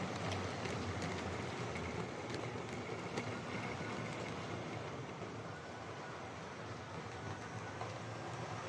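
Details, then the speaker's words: Hornby R2329M Britannia Class "Dornoch Firth" OO model loco on layout during overhaul, with a loose rod: steady thin whine over fast, even wheel clicking; bad motor whine, owner thinks it may ease with running, cause not confirmed. "okay so that's the door knock fourth um it's a bit of a noisy one uh yeah it actually sounds like the old Fleischman of silver sealing fuel motor um you know it's got a pretty bad wine"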